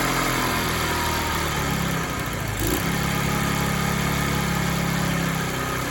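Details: Free discarded TaoTao 50 scooter two-stroke, revived but throttle linkage and carburetor not yet adjusted: uneven buzz that sags then recovers, won't idle without throttle; owner says carb still needs dialing in.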